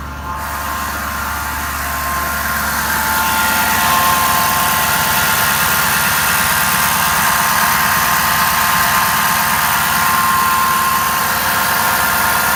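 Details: Stock 2011 Ford F250 6.7 Powerstroke diesel, about 124k miles, at idle: a thin, steady high whine over the diesel clatter from the driver's side. It starts immediately on engine start and varies with rpm; confirmed as a bad alternator.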